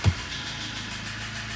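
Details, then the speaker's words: Kia Sportage 3 with loud knock from under the hood: steady idle with hollow rattling, ringing knock; likely more than one piston slapping in badly scuffed cylinders, judged too worn for boring, needing sleeving to standard pistons. "Ой как хорошо перебирает там причем не один поршень Судя по звуку там парочка то точно есть которые сильно прямо задраны"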